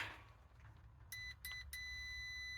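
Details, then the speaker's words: Multimeter continuity beep while checking two thermostat wires on a propane heater that won't light; the probes touched together give three sharp high beeps, but across the wire ends there is no beep, so a thermostat fault or broken wire is suspected. "we're gonna test that with the uh the beep so the uh check that two thermostat wires you are w ow nothing once you guys hear that"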